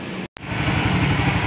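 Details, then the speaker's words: Raider 150 Fi at 49k odometer after maintenance: water pump seal replaced, tensioner reset; low steady engine rumble with an even beat, no ticking, rattling or whine, quiet again. "So, ayun mga kagaston, all goods na yung motor ni sir, tahimik na ulit."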